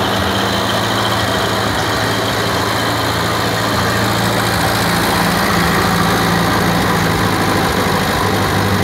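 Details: 1947 Ferguson (TEA-20/25) petrol tractor, a barn find that sat for years, first start after fresh oil, water, petrol and a new battery: a steady, even low chug at idle, about three pulses a second, no knocks or misses, with oil pressure working.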